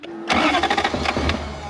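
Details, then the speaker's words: BJ42 Land Cruiser converted to a Toyota 1UZ V8 with manual gearbox; short cranking bursts with ragged firing attempts that never settle; intermittent spark, though it now tries to fire where before it was totally dead. "okay it's quite intermittent in the spark but it sometimes has some because you can hear it trying to fire up which before we brought it here it was totally dead"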